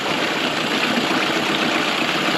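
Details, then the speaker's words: 1999 Mercury 9.9–15 hp two-stroke outboard after a carb rebuild (sealant removed), idle mixture screw set between 1¼ and 1½ turns out from seated: buzzy idle with a slightly uneven, lumpy beat, running a little rougher off its sweet spot. "sounds like it's running a little bit rougher now this is split the difference between one and a half and one and a quarter"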